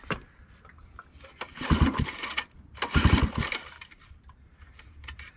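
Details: Scrapyard-found generator, unsure how to prime. Two recoil pulls, each a brief chuffing burst that dies straight away. It turns over but doesn't start.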